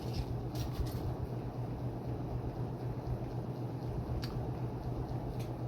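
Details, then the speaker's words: Ceiling fan in garage on high speed: low steady motor hum with faint uneven buzz about four per second; something rattling on the blades, though no cracks or loose screws found. Buzzing rattle at high speed. "buzz buzz buzz you hear that sound I can't tell what it is it's something rattling on the blades but the blades are there's no there's no cracks there's no loose screws there's nothing to rattle"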